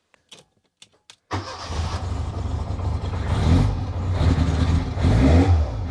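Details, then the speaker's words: 1985 Lancia A112 Abarth, 1050cc Fiat engine, started cold: it catches after a short crank, then idles slightly rough with small surges, attributed to being cold; rough idle on cold start. "so as you can hear it's running it's running a little bit rough but that's because it's cold"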